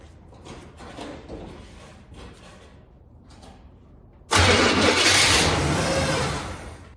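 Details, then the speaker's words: 1978 Chevy truck engine, ignition wire newly hooked up but fuel line not yet connected: cranks quiet, catches with a loud roar for about two seconds then fades out, running only on sprayed-in fuel; it has been spitting and sputtering. "I've heard it spit and sputter since I hooked up the ignition wire, but I just haven't had it idling long enough to hear, you know, get a sense of it."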